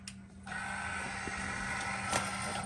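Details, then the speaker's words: 2017 Ram 2500 Cummins G56, 105,000 miles, newly installed AirDog lift pump with 1/2-inch fuel line, priming by cycling the key before cranking: electric pump steady hum and even whine holding constant: normal lift pump priming. "Just cycle your key a couple times and get it to prime itself."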